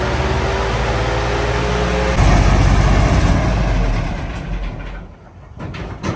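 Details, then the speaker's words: Centurion AVRE after fitting an electric fuel pump, started again after being hard to start and down on power: deep heavy rumble with uneven pulses that drops away. Rough running, which the owner suspects is largely due to stale fuel in the tank. "We've had a look in it and it smells stale and it's blinding everyone. So I think a lot of the poor running is perhaps actually down to stale fuel."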